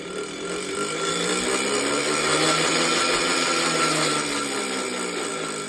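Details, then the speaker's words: Minka Aire San Fran ceiling fan before restoration: a loud, steady, rough grinding hiss with a rising and falling whirr as it spins, from dry, worn motor bearings. "this Fan's dry bearings will destroy your eard drums are you ready here it"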